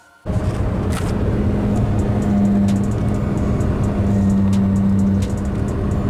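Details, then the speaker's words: VW Golf 3 driving at 80+ km/h, steering right: steady low drone swelling over road noise, not knocking; persists after replacing the whole driveshaft and inner CV joint, cause unknown. "od razu mówię to nie jest takie typowe stukanie tylko takie bardziej był uczenie się bardziej rozpędza się do 80 plus"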